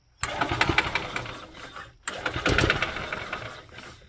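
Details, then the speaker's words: Yamaha gas golf cart that would not start, after cleaning corroded battery terminals and cable: cranks, catches within a second with an uneven putter, briefly quits, then catches and runs; corrosion was the cause. "Okay, hooked back up, all cleaned. She fires right"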